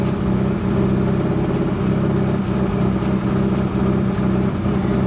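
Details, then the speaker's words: Nissan 240SX S13, about 30 years old, just after replacing the fuel pump and sending unit, not yet warmed up: starts faster than usual, but the low idle is still lumpy with occasional stumbles; cause of the rough idle not yet found. "idle's still rough but usually on startup the car almost always dies because it just drops down"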